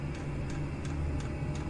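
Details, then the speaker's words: Chinese diesel air heater running on kerosene, exhaust feeding a homemade radiator heat exchanger, after warm-up on setting two: light, even fuel pump ticks about three a second over a low steady hum; slowed down as expected, normal. "there you go there you go that's slowed down now just as I said and that'll just tick away nicely on on setting two all day"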